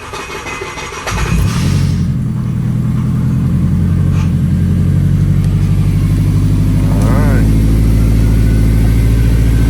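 Engine cranks, catches cleanly and settles into a steady, even idle with no stumbling or cutting out; it is running healthy.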